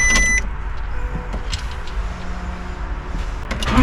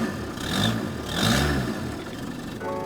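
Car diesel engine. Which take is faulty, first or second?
first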